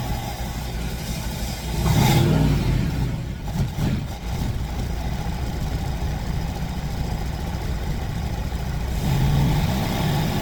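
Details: Fox Body Mustang ("Black Widow"), long-sitting, idles with a steady low rumble and clean brief revs, no misses or knocks; smoke clearing, owner suspects bad gas had sat in the fuel rails.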